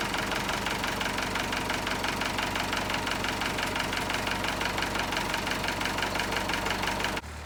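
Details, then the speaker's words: 1964 Massey Ferguson 65 diesel tractor idling after a cold start, warming up before an oil and fluid change: steady, even diesel clatter with no misses or extra knocks; runs smoothly. "I know y'all love cold starts, so we're gonna fire it up, let her warm up a bit."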